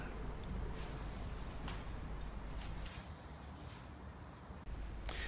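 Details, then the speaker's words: 2006 Nissan Micra (3rd generation) rear wheel bearing, wheel spun by hand: steady gritty low rumble from worn bearing, to be replaced with new bearing kit. "you should be able to hear how noisy this bearing is when I spin the wheel you can hear the bearing rumbling away"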